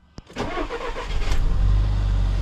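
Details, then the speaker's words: 2013 VW GTI after water pump replacement: starter turns briefly, engine catches cleanly, smooth even quiet idle, no knocks or squeals; previous noise gone. "Okay, we start it up, and we see how it go and how nice and quiet it is."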